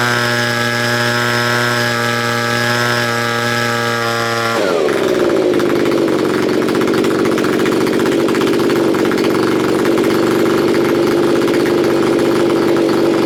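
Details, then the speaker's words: Neglected curb-find Stihl BG55 leaf blower, first start-up on choke: small two-stroke starts high and steady, then drops into a ragged, wavering burble that won't settle. It is running rough and needs carburetor adjustment. "oh yeah gonna need adjustment"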